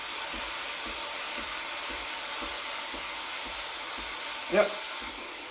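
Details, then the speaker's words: Breville Barista Express BES860 steam wand, froth attachment removed, purging after about 15–20 s warm-up: steady even high hiss, no sputter or gurgle, then shuts off; normal steam wand purge. "it takes about 15-20 seconds to warm up and start steaming"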